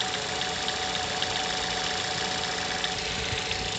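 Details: Mazda 6 GH 2.0, cold idle after long standing at 1000-800 rpm: uneven tapping about three to four per second over engine hum; disappears once coolant temperature needle starts rising; unexplained cold knock, cause unknown.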